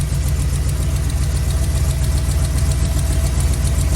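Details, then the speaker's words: 1980s Chevy C10 454 big-block V8 started first try after a Holley Sniper EFI install, coolant at 111, target AFR 12.7: a lumpy idle with a sharp, regular tick about four per second. Exhaust header leak; smoke is from freshly painted intake. "Started right up, dude. Yeah, first try. Got a header leak, I can hear"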